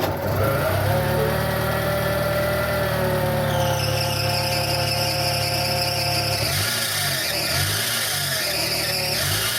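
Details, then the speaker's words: Fiat Palio Fiasa petrol engine running: steady high-pitched squeal and chirp from worn accessory (alternator) belt; replacing the belt fixed it, otherwise bearings, alternator or tensioner suspected. "esse barulho específico de rolamento ou a correia auxiliar tá é específico disso no meu caso troquei a correia auxiliar resolveu o problema"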